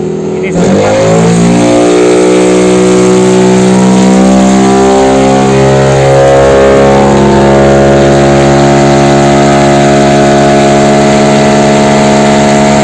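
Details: Yamaha NMAX bored up to 180cc with 34mm RPD throttle body, injector changed from 125 to 140, valve clearance already corrected: full-throttle run rises smoothly from low revs to a steady high-pitched wail, no misses or pops; AFR good, healthy.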